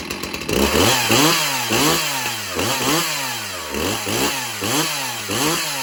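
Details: Stihl MS361 Farm Boss chainsaw with 20-inch bar, crisp two-stroke note blipped up and down about every half second, revving cleanly and dropping back evenly; not smoking. Healthy normal running.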